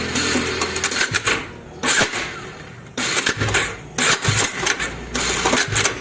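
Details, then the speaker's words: Bajaj Dominar 400 in neutral, self-start pressed: harsh rattling clatter near the magneto in short bursts, starter sometimes spinning free instead of cranking cleanly; faulty starter one-way clutch bearing, to be replaced. "तो कुछ इस type की problem हो रही है तो guys finally यह तो क्लियर है कि इसकी जो वनवे की बेरिंग है उसमें प्रॉब्लम है"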